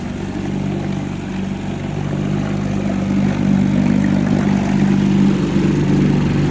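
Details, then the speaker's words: 1963 Evinrude 3HP outboard, run after fixing a sticking carburetor needle that left the float bowl dry, cover off: a steady low putter of about three beats a second holds speed without stumbling; it now runs cleanly. "She's back there idling in the background, and much better than that first video when we had it running."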